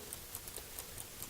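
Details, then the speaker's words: Restored 1969 Ford Mustang Mach 1/Grande dash clock, mechanical wind-up watch-type movement with mainspring, cleaned and lubricated after being dusty and dirty: crisp, even ticks about 4.5 per second with nothing dragging, second sweep hand running steadily; normal clock ticking. "But it does have a nice, second sweep hand that runs all the time. And you always know it's working."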